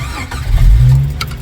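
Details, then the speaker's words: 1994 Jeep YJ with intermittent stalling, after replacing PCM capacitors: quick crank catches into short surge settling to rough low idle; restarts after stalling, unusual for it, cause unknown. "oh that's the first usually won't start up again okay so that's new"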